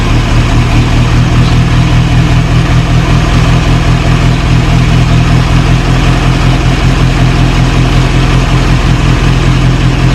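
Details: 1937 Morris 8, 918cc pre-war engine, just started on choke during recommissioning: loud, deep, even chuffing idle about two and a half beats a second, no knocks or misses; oil pressure about 60-75 psi, running healthy.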